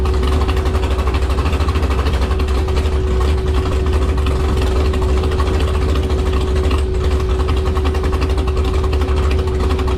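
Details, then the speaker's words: Jet boat with a rebuilt 632ci big-block Chevy at wide-open throttle on the lake. Holds one fixed, flat high drone under load and won't climb past 5,000 rpm; sounds stuck on a rev limiter. "It wouldn't turn over 5,000 RPM. Sounds like it's stuck on a rev limiter."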